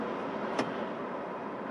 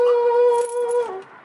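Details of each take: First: 1989 Ford F-150 after a noisy blower motor fix, fan on low: soft, even airflow whir with a smooth motor hum and no squeal or chatter; the blower runs normally on all speeds. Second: 1989 Ford F-150 heater blower motor for the climate control makes a loud, steady high-pitched squeal at low, medium and high speeds; the motor is to be removed and fixed.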